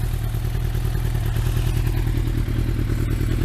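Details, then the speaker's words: Yamaha Thunderace motorcycle being reassembled for its MOT, idling with the fitted exhaust: a loud, uneven low clatter of roughly three loose knocks a second over a steady idle. The owner wonders if something is loose; the source is unknown. "Although it does sound a little bit rattly. So I don't know if there's something loose in there, but anyway."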